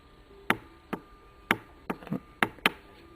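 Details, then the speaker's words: Light finger taps on a Yamaha CT175 fuel tank: sharp, hollow, tinny ring with no solid thud, showing little metal left inside; tank badly rust-thinned and judged unusable. "That's just me with real light pressure. That tells me that there is not much metal on the inside of this gas tank."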